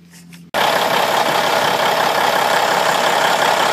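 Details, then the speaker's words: 1995 International truck with Cummins N14 diesel, first start after installing a replacement ECM programmed with the original parameters and the same horsepower, gear-down protection disabled: catches at once and settles into a steady, even run with no misses. "Alright, she's running. Sounds pretty good."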